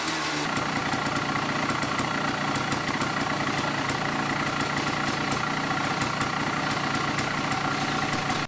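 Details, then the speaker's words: 1974 Yamaha DT250 Enduro two-stroke, first start below freezing after 85 kicks, fresh B9ES plug, idle turned way up. Ragged, uneven, fast crackling idle, running rough with no proper air filter while jetted for the stock restriction. "Now, it's not running well, and it's not running well because we're not really running any sort of air filter."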